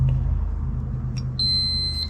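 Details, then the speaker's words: Rebuilt Renault R8/R10 starter under a multimeter test: a steady high beep sounds when the probe touches the grounded brush terminal, showing continuity as it should, while the insulated brush showed none. "now this one should be grounded so this one should just go straight to out that's it"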